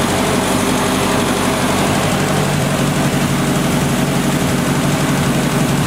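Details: 1970 Opel GT barn find, first start in about 30 years, after a carb swap, new points and Bosch platinum plugs: steady low idle with occasional stumbles, slight miss. Choke is fully open; owner suspects carb and choke adjustment and plans a compression check.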